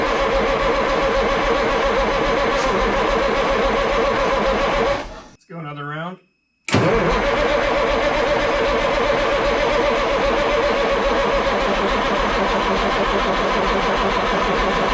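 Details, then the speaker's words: Ford cabover truck with 14 L Big Cam Cummins diesel, sat 10+ years, cranked on jumped starter solenoid with fuel solenoid unhooked to build oil pressure; even starter churn, brief pause, cranks on without catching, fuel cut off. "l keep fuel from flowing to the injector so this engine doesn't actually try to fire off but if we can get a few rotations out of this engine we'll start building oil pressure we can send oil everywhere before we start firing on actual fuel"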